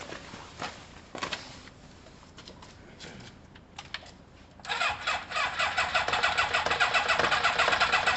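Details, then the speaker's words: Kawasaki ZL600 motorcycle with new coils, tuned carbs and valves done, leads being tried in a one-four-two-three arrangement: fast, even cranking at nearly four beats a second with no firing or catching; the plug leads are in the wrong order. "so it could be um that the bottom one's one and the top one's four bottom ones two and the top one's three so i just need to have a play let's have a play um so we're one four two three i"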